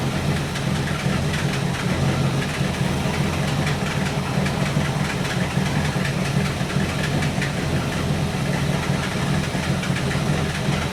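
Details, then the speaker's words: 1964 Buick Electra 225 401 Nailhead V8, just warmed up, idling after Carter AFB rebuild; lumpy idle with stumbles as dwell drops. Intermittent misfire; owner suspects ignition, possibly condenser, unconfirmed. "I can see it here in the dwell meter. When she kicks, the dwell is dropping."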